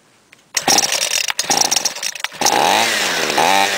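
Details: Homelite gas trimmer with no air filter, primed six pumps and started with the throttle held: a couple of sharp pull bursts, then it catches and holds a steady high buzzing run. The small two-stroke starts and runs cleanly.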